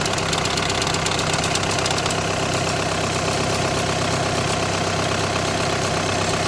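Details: 2008–2014 VW with DSG gearbox idling: an unsteady metallic rattle eases slightly after two seconds. The diagnosis is DSG clutch plate vibration, with the plate bearing also tagged.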